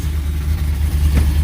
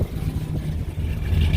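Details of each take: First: Whipple-supercharged, cammed Ram 1500 Hemi V8 after installing new MBRP stainless catback exhaust with five-inch tips: deep, even loping idle with no rattle or buzz; exhaust fixed. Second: Whipple-supercharged, cammed Ram 1500 Hemi V8, not a full cold start, before new MBRP catback: deep lumpy idle swelling with revs, loose tinny rattle from the blown-out muffler.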